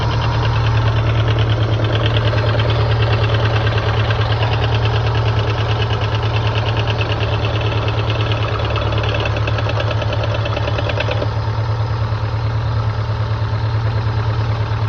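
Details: Subaru Impreza STI GVF with unequal length headers, forged pistons and rods, APR head studs and GSC272 high cams, cold start idle: a low steady knock about twice a second under loud rumbly exhaust; owner suspects spun bearings.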